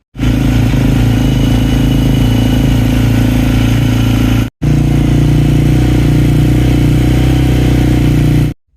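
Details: 2019 KTM 350 XC-F after fuel filter replacement restored fuel pressure from about 20 to 50 psi: steady, even single-cylinder thump with no stumbling or stalling; a healthy run.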